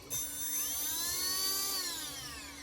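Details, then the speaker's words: Castle 1650 brushless motor on custom 8S Infraction V2 RC car, after replacing suspect 8mm bullet connectors (losing signal) with Poseidon bullets: high smooth whine sweeps up, holds, eases down, no stutter or cutouts; running cleanly. "Put them on my 1650 castle. And let's see. Everything sounds good so far."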